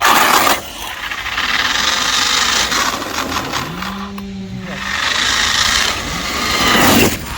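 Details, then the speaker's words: Raspy, rough grinding that rises and falls with throttle over the motor whine of a 1/7-scale Arrma Mojave RC car, run after more than a year off the road and an overhaul; something in the driveline is chewing, and the owner is unsure whether it is the motor. "It does not sound happy, does it?"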